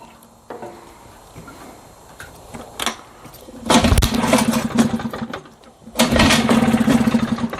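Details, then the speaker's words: 1960s Mercury 3.9 outboard, stored two years, new impeller, start on choke: catches in ragged bursts, sputters and dies twice, won't hold idle; owner suspects plugged intermediate and pilot carburetor jets, as it runs only from half throttle up. "she just doesn't want to continue looks like I got lucky on the first shot because clearly she doesn't want to continue"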